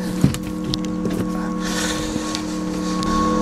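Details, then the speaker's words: Renault Zoe that won't start, showing red "electric motor failure" warning: steady layered drone of the pedestrian warning sounder stuck on while stationary; 12V auxiliary battery reads 11.86 V, DC-DC converter not charging, so the flat 12V battery is suspected. "my initial suspicions I've got to check the 12 volt battery but as you can hear The Pedestrian warning system is sounding as well"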